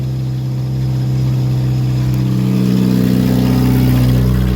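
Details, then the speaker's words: Woodgas-converted Chevrolet Cavalier running on wood gas after PVC piping leaks from filter to under-hood were fixed and adjustment cables added; warming up with a little throttle, smooth steady note rising gently with revs, no misses; normal running, better gas without leaks. "okay you can hear it's running i'm letting it warm up a little bit got a little bit of throttle put into it"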